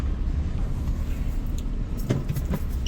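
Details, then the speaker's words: 2012 Maruti Alto 800 driven after major service: low, even road rumble with only a faint tick or two from the cabin; dashboard noise from two loose bolts now gone, car runs quiet. "Dash ബോർഡിന്റെ sound പൂർണമായിട്ട് നിന്നു അത് രണ്ട് ബോൾട്ടും loose ആയിരുന്നു അതുകൊണ്ടാണ് ആ sound വന്നതടക്കം അത് release ചെയ്തപ്പോൾ ഏകദേശം സൗണ്ടുകൾ ക്ലിയർ ആയിട്ടുണ്ട്"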